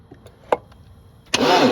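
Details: 1987 Porsche 924S stored almost 10 years, plugs out during compression check: a few quiet clicks, then brisk, even cranking with no drag or uneven beats; one cylinder wet and suspected stuck injector or no spark, one cylinder reads about 190.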